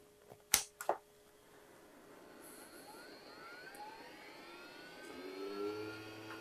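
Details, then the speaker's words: Hard drive in a 486 system salvaged from e-waste, powered on for first detection: a few clicks, then a smooth whine rising steadily as platters spin up, no screeching; normal spin-up, detected as 505 MB. "okay that's good normal hard drive sounds No screeching"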